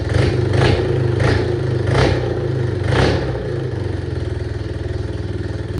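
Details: Yamaha AG200 single after rebuild, with a new CDI fixing an intermittent spark, not yet tuned: thumping with throttle blips, then a steady even idle, firing consistently; normal running.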